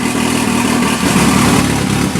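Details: 1981 Alfa Romeo Spider Veloce running for the first time in about 8 years, warming up: loud, raw, rasping idle with a steady beat and little muffling, because the exhaust is missing a section.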